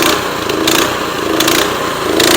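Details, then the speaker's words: Honda GX160 on a Tru-Cut C-25 reel mower, warmed up with choke off, hunting up and down about every three-quarters of a second even at full throttle; surging, suspected carburetor fault, carburetor then replaced. "I want to go ahead and uh turn the choke there and you guys can hear it starts to search even at Full Throttle"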